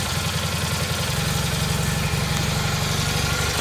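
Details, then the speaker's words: Rebuilt Kohler Magnum M18 single from a Cub Cadet 1882 on a test stand, first start in over two years, targeting about 1400 rpm with about 48 psi oil pressure: fairly steady idle with slightly uneven beats; carb sluggish for unknown reason, smells rich, needs tuning. "carbs a little sluggish right now i'm not sure why we are targeting about 1400 rpm"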